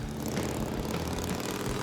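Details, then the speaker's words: Restored 1958 Harley-Davidson Sportster on test ride: steady deep V-twin drone under wind rush, even firing with no knocks or misses; running good, smooth with plenty of power. "We got both [music] bikes out here, they're running good. We're just testing them."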